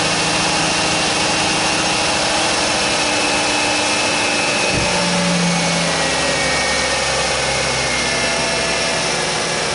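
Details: Ford Taurus petrol engine at about 107,304 miles, started just after a new alternator was fitted and the belt tensioned: steady, even idle with a smooth unbroken hum and no knocks or squeals; sounds healthy.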